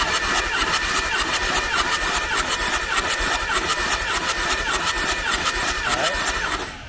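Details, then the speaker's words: Diesel compression test with all glow plugs out, back passenger-side cylinder; even, steady cranking beats for about six seconds with no weak strokes; reads about 325–330 PSI, healthy; some passenger-side cylinders read low. "we're going to show you so you saw that first cylinder that one's healthy"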